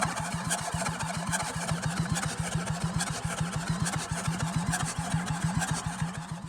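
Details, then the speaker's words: Toyota Land Cruiser HDJ100 with a 1HD-FTE diesel, flooded in 2022 and freed from a seizure, cranking with the exhaust manifold and turbo off: slow cranking at about seventy beats a minute with uneven, soft compression pulses. Low compression on some cylinders. "those of you with a Keeny will have noticed that whilst cranking over this thing definitely is low on compression on some cylinders"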